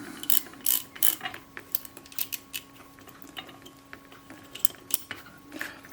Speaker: I could put some on the ratchet teeth. I suppose that won't hurt. There are ratchet teeth in both directions because the other lever, this one here, that will lock the film advance.